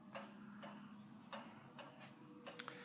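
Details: 44-inch Monte Carlo Designer Supreme II ceiling fan in reverse on low speed: light, sharp, slightly uneven ticks about every half second over a quiet motor hum; ticking on each revolution, cause not found.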